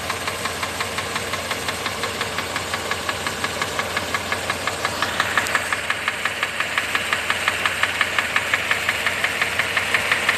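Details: Mercedes W126 500 SEC V8 idling with a sharp, steady tick just under three a second over the engine hum; cause unknown, described only as a strange noise.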